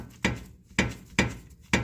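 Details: 2012 Mazdaspeed 3, wheel off: four sharp metal-to-metal clunks about half a second apart as the steering is rocked; knocks over bumps and cracks; grease leaking from the tie rod boot. Rack and pinion blamed and replaced; a loose coil-side strut bolt was also found.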